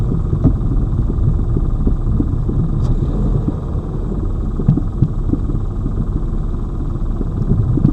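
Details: Lada Vesta Cross, old original right front strut (only the left was replaced under warranty), dashcam aimed at the right strut mount, mount wrapped in rags to isolate the sound, driving over bumps: dull low irregular thuds over road rumble; the right strut is knocking.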